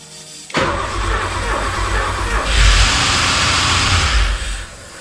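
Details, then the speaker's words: Porsche 928 4.7 L K-Jetronic V8 after sitting 20 years, fuel tap just opened, throttle plate still stuck down: cranking with one brief cough, never catches. Suspected lube sticking the throttle; stuck down it would run far too lean. "okay so it's still down it it coughed it coughed so yeah"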